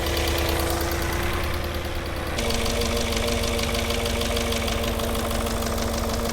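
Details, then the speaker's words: Cheap Porsche Cayenne on a new battery: a fast, light ticking is heard low down in the engine straight from startup, about three ticks a second over a steady idle. "And then straight away on startup, you can hear that ticking. It's low down. Oh no, it's a low down noise."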